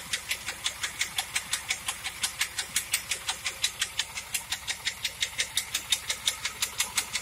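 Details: 1997 Trans Am engine at idle with a sharp, even tick about three times a second; cause suspected, not confirmed.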